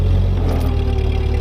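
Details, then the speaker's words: Ford 8N tractor clearing snow, camera magnet-mounted at the rear: a smooth, even low drone from the rear gearbox with no knocks, whine or grinding; it has new seals and reworked axles, and the transmission sounds healthy. "I like what I'm hearing everything uh is working well"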